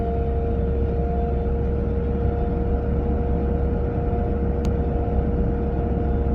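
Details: A 940 at about 30 to 40 mph: two steady mid-pitched whines sit over even road rumble from the passenger side; the cause is not yet pinned down.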